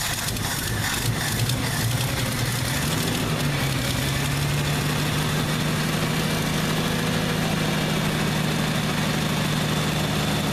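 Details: Old cold engine just started with starting spray, pedal held to avoid stalling: uneven lumpy sputtering rumble, running on about four cylinders; smooths slightly as it warms and other cylinders light.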